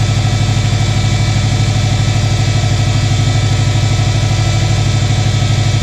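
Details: 2006 Subaru Forester 2.5 after replacing all four coil packs and spark plugs: steady, even idle with a smooth low thrum and no misses or stumbles; running clean.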